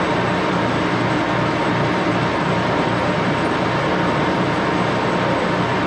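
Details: 14x30" Axelson heavy-duty geared-head lathe run through its speeds, headstock filled with AW68 hydraulic oil (about SAE 20); steady, even gear whir, heavy running noise, no knocks or grinding, noisy but normal.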